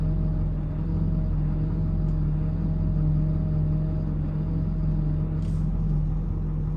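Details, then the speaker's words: Power steering with hydroboost brake, steering held at full lock at idle: a steady droning whine over the idle that also occurs under braking and goes away otherwise. Low fluid or pump suspected. "so I got this whining sound coming out of the front end and it's happening when I steer so here listen to this hear that and if I hold it there The Whining continues"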